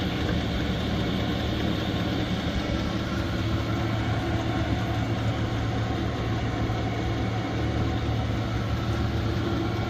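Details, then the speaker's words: Cheap Chinese diesel heater in turbo mode, warming up, 13.8 V on the display: steady, even low drone and constant hum, no misfires, surges or rattles, described as sounding like a jet engine; normal running. "sounds like a jet engine about to take off definitely getting warm"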